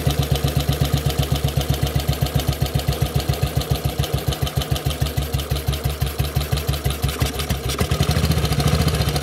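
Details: Model 8 single-cylinder motorcycle engine at idle, recorded cold then hot, with a hard knock on each thump about two a second; more noticeable at 40 mph and above, cause unclear.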